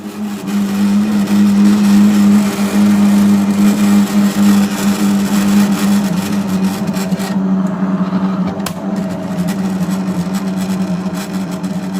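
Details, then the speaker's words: LG front-load washing machine droning loudly like a generator while running: a steady, low hum caused by a failing drain (pump) motor. "अब इनका problem यह हो रहा है कि जब यह जनरेटर चालू हो रहा है मतलब यह मशीन जब चालू हो रहा है तो जनरेटर की तरह आवाज कर रहा है।"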